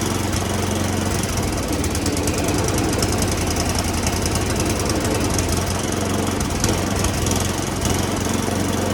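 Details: Roadside free snowblower said to have a toast motor, carburetor sprayed with Seafoam and smoking: small single-cylinder engine pops and stutters unevenly under harsh rattle, never steady; rough running.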